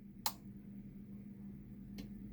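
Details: Pioneer SX-950 receiver after protection board (AWM062) refurb, underside up: on switch-off, after a pause, a sharp relay click then a softer second click over a steady low hum; protection relay releases normally.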